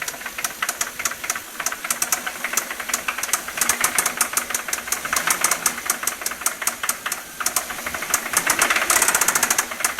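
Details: Toyota 1JZ-GE engine: sharp metallic knock about 160 a minute over idle, rising with light throttle; VVT-i gear was first suspected, but it turned out to be a spun rod bearing; rod knock.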